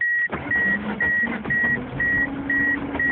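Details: Ford Escort broken down, key turned in the ignition: only a shrill beep pulsing about twice a second, with no cranking or firing; no-start, cause unknown.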